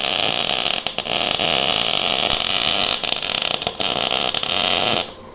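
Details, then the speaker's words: MIG welding on a 1:8 scale GP40 locomotive project after slowing the wire feed and re-welding the first part for better edge fusion: an even, steady bacon-fry crackle with brief breaks between passes, wire feed and voltage well matched; normal MIG welding sound, judged much better. "Now, that sound sounded a ton better and looks a ton better. So, we're going to roll with that."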